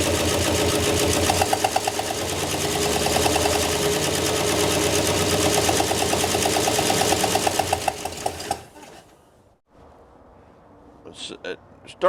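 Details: 1968 Oldsmobile Delmont 88, parked 36 years, first start on gas poured into the carb. It runs rough with sharp pops about three times a second for eight seconds, then dies. Intermittent misfire suspected from a bad spark plug or camshaft, not a valve.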